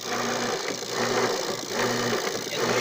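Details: Washing machine after its faulty control board was replaced: an even motor hum swinging back and forth about every 0.7 seconds with steady strokes both ways; agitation works normally, the fault was the board.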